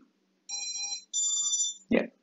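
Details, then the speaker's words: INAV drone after switching the ESC protocol from DShot to standard: short musical startup tones, then a thump and silence with no repeating beep; ESCs arm normally. "the yes started the Drone is up powered up and yeah as you can now hear there is no beeping of the ESC so the the beeping sound is no longer there"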